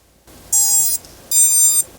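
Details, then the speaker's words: GEPRC SKIP HD3 toothpick quad, props off, battery connected, during BLHeli firmware setup for Betaflight 4.2 bi-directional DSHOT: two clean high-pitched electronic tones through the motors, the normal ESC power-up startup beep sequence. "And when it powers up, you'll hear the all familiar ESC startup beep sequence."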